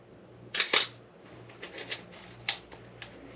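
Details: Old film camera checked as a potential purchase, shutter set to 1/8 second: crisp double click about an eighth of a second apart, then softer clicks. The slow shutter speed fires cleanly.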